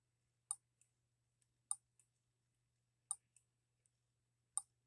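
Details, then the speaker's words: H76 Microcosm twin-cylinder model engine on the bench, fuel tank full, spun with a drill starter: sharp ignition snaps about every 1.3 seconds, each followed by a fainter tick, in a quiet room; normal ignition spark. "you guys hear the ignition snapping okay let's just go for it wide open"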